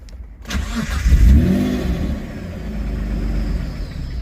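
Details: Engine being started for the second time during a rebuild, running without an idle control valve: it cranks and catches with a quick rev, then sags to a shaky low idle and cuts out at tick-over.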